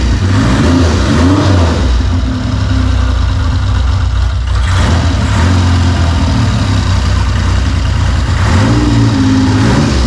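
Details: 1975 Triumph Trident T160 triple, started cold with choke off: deep, even three-cylinder burble settling to a steady idle with a few clean throttle blips; smooth, healthy running.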